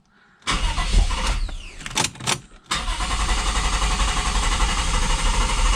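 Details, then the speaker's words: Lexus IS200 turbo, 1G-FE, cold after sitting overnight: uneven starter churning for about two seconds before catching to idle, starts instantly when warm; hard cold start from a leaking fuel injector losing fuel pressure. "See, now that's not normal. Normally it cranks over with the first spin, so we'll turn it off."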